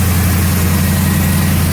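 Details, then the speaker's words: 1977 Mercury Marquis 400M V8 just after tune-up (new spark plugs and wires, one valve cover gasket redone, distributor corrosion removed, no sludge): steady, even low rumble at idle, no knocks or misses; motor sounds pretty nice, normal idle. "Let's see how it runs. Get a little pump down there. Running pretty good. Motor sounds pretty nice."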